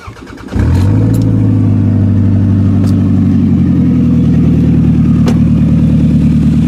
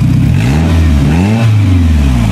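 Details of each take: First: A 2000 Toyota Camry catches after a brief crank and settles into a loud, raspy, puffing idle, on cold weather, after an ignition coil repair. The exhaust leak has worsened because the flex pipe is totally rotted out, leaving almost nothing from the tailpipe. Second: 2000 Toyota Camry petrol after replacing a failed, misfiring ignition coil (flex pipe rotted): the engine revs up and settles smoothly, with an even exhaust note and no stumble or misfire.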